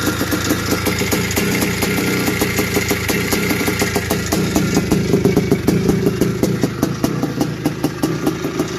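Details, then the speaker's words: 1981 Suzuki RM465 two-stroke barn find, running for the first time after fuel poured down the plug: uneven idle with a steady dry ticking rattle suggesting a worn top end; heavy smoke, owner suspects blown main (crank) seals, likely clutch side. "so no it sounds like it needs a top end or something sounds a bit rattly and it could even have a blown sure by the amount of smoke that was going out the back"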